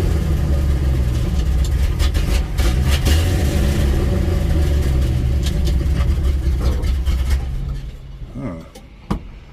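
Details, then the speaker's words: 1963 Ford F100, former non-runner after carb work, water removed from fuel, plugs, timing and vacuum lines, new $65 exhaust: cold, catches and runs rough and uneven several seconds then dies; stalls after cold start. "but don't want to run huh let's give a little choky walky"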